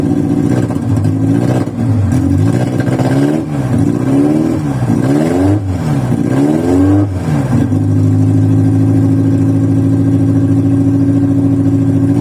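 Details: VW Voyage cold start after sitting many days, worn old mechanical parts: uneven surging revs rise and sag for several seconds before settling; rough running with a hard restart, takes a couple cranks to start.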